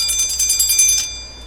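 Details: Westclox Big Ben alarm clock after repair, alarm set for 11:30: rapid bright bell clatter, about ten strikes a second for one second, then fading ring; alarm striking properly.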